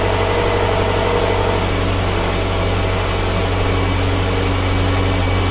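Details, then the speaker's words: 2007 Subaru Forester, previously running rough with a check engine light, idling after repair with fuel-rail O-ring leaks checked: steady, even idle with a smooth low hum and no stumbles or misses; runs great, no leaks. "So I've run the car for a little bit, and it runs great. No leaks whatsoever."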